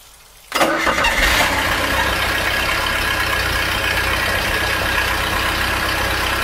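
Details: Mercruiser 3.0 boat engine right after replacing the noisy water recirculation pump, head gasket previously repaired, hose hooked up: starts at once, steady even idle, no squeak or chirp; no leaks, no more noise, normal running.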